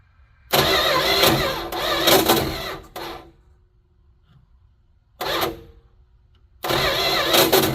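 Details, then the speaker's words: 1972 Plymouth Fury I after years of neglect, new points, cap, rotor and plugs, gas poured down it: harsh grinding cranking bursts, never fires; owner suspects bad ring gear spot on torque converter/flex plate, no spark, and a worn-out starter. "Well, that's a major bummer. Wonder if we're even getting spark. Doesn't seem like it, but"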